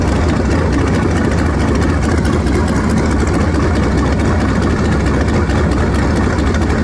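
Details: V8 after swapping to a 2-barrel carburetor, vacuum port patched and taped, choke nearly open while warming: deep, steady idle with a slight lope. Smoother than before but mixture still a touch off; slight smoke noted.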